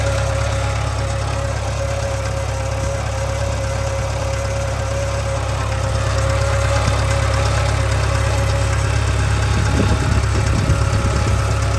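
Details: 2013 Subaru 2.0 Boxer at idle: steady drone with a rough, fairly regular knock roughly three a second; engine knock and hum, source not pinned down.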